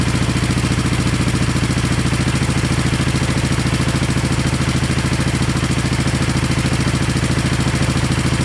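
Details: 1970 Honda SL350 twin, first start during restoration with gas put down plug holes and right carb leaking; steady even pulses about 207 a minute over low rumble, no misses or knocks; both cylinders equally warm; normal idle.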